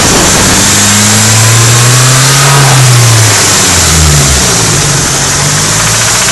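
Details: Nissan 180SX with SR20DET redtop engine: loose metallic knock that seems to come from the head, only between 2,000 and 2,500 rpm. The cause was big end bearings.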